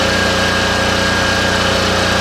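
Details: Cheap used diesel generator, bought as a non-runner, started outside and tested with a light bulb plugged in: steady, even diesel chug with no knocks, misses or surging. Runs cleanly and makes power.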